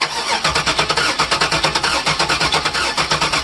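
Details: LT1 V8 that died at wide-open throttle: the starter cranks at about three even pulses a second but the engine never catches. Spark and fuel pressure were present; the no-start was traced to a bad Opti distributor base.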